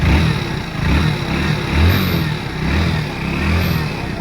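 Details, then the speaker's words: Hero Splendor Plus BS6 motorcycle after adding engine oil: deep, smooth exhaust note rising and falling cleanly with throttle, loud engine rattle heard earlier now gone. Normal engine revving. "ठीक है दोस्तों आवाज इसका सही हो गया पहले बहुत ज्यादा झंझट की आवाज थी दोस्तों"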